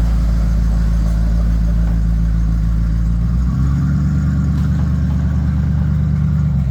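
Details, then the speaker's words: Bombardier snow vehicle after repairs, before its first test run in 6 months: deep, steady engine idle with an even low rumble, no knocks or misses, at about 800–900 rpm; normal idle. "How does the engine sound running? Good. Okay. It's runs at 800, 900. That's good."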